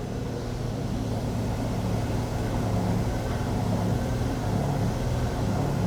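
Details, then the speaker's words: Daihatsu Copen, car lifted, front wheel spun freely: gritty, rough low rumble on one side while the other is silent; noise when driving turning slightly left and under light braking, worn wheel bearing suspected, drive shafts ruled out. "And this one's making some juty sounds bad [ __ ] noise. That sounds real bad. It's got to be this one."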